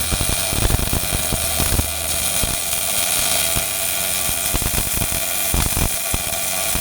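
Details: Miller-Matic 251 MIG welder at 21 volts, 366 wire speed, welding pipe fittings: steady even frying-bacon sizzle, no pops or stutter; normal smooth arc.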